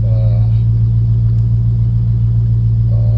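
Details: Dodge Challenger Scat Pack Shaker V8 idling just after oil change, oil pressure 57 PSI, oil temperature around 123–127°F: deep, even burble with smooth unchanging rhythm, no knocks or ticks. Normal idle.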